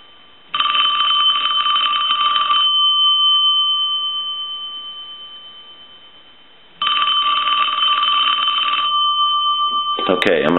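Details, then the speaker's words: Western Electric Princess telephone rung from an analyzer on a low ring cycle, below normal ring voltage; two strong, clear two-second bursts; bell rings firmly even at low voltage. "I'm going to stop the ring cycle but I'm going to hit a low ring cycle so this would be a little lower than a regular ring voltage would be I'll let that go a couple times"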